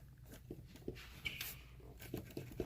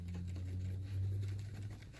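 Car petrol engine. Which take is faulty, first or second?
first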